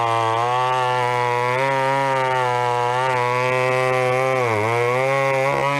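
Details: Vintage chainsaw, unknown when last run, chain a little dull, cutting a 14-inch piece of wood: steady high-pitched two-stroke scream holding even revs with brief dips under the cut; runs strong and clean.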